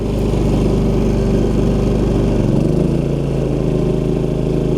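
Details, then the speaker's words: Champion 3500 W dual fuel inverter generator on a travel trailer as a heavy appliance engages: voltage drops to 119 V, current creeps to 5–6 A, then surges to 11–12 A at about 83 dB. The drone dips and settles lower; the surge is handled normally. "voltage drop to 119 you'll notice on the ant meter I'm not sure if it will come out on video but it creeps up slowly to about five or six amps and then that initial surge will push it up to 11 to 12 amps"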